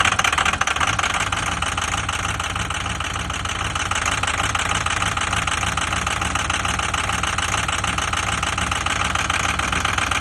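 Steady idle with a sharp, regular ticking knock riding over the diesel clatter; could be an injector, but the cause isn't pinned down. Cause suspected, not confirmed.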